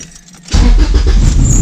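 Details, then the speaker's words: Honda Civic after crankshaft position sensor wiring was rewired straight to the ECU to clear a CKP code and limp mode: quiet cabin, engine catches straight away, settles into steady even run, no stumbling, revs past 3,500; normal quick start. "up pretty quickly and as you can see it's not in limbo because it'll read past three and a half"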